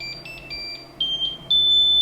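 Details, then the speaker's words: Anycubic Mega-S 3D printer after installing TMC2208 silent stepper drivers, powering up before firmware update: repeating high beeps about every quarter second then one long tone, normal power-up alert. "you already hear that annoying beep, beep, beep."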